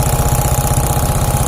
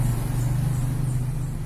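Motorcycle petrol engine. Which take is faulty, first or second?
first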